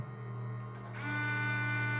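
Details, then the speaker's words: Peugeot/Citroën RT6 multimedia unit, screen black then white, not booting: steady motor whir with faint hum as the CD mechanism repeatedly tries to load the system; suspected corrupted firmware. "Barulho de JCD e nada na tela. Beleza? Ó, fazendo barulho de JCD."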